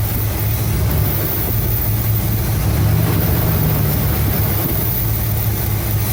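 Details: 1975 Cadillac Fleetwood V8 idling about 5 minutes during valve cover gasket replacement, being checked for oil reaching the top end (it does). Steady, smooth low rumble with no knocks or misses; normal idle.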